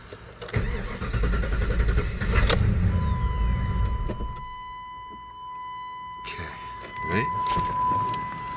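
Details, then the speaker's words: 1996 Jeep Grand Cherokee: cranks, catches, runs rough a couple of seconds then dies to a chime; stalling at operating temperature traced to a corroded ECU connector lead, fixed with contact cleaner. "turn it on press the gas the dice it's just doesn't want to crank over give it a gas pump crank over it won't stay run it"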